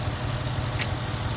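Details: Ford Mustang GT V8 after bearing replacement for a knock, electric fan unplugged: smooth, even idle with steady low rumble and no knock or tick; bottom end healthy, while coolant leaks from a cracked radiator.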